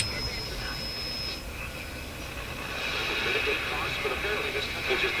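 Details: RCA Victor RC-1064 five-tube radio after final alignment per service manual: steady broadcast with light hiss, no crackle, hum or fading; receiving cleanly and working as it should.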